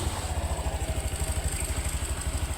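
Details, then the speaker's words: Honda Beat Deluxe scooter (KOJ) after CVT repair for a sudden cracking noise, idle reset and adjusted: soft, even thumping idle with no clatter from the belt drive; now running smoothly. "Ya sudah halus suaranya, Guys."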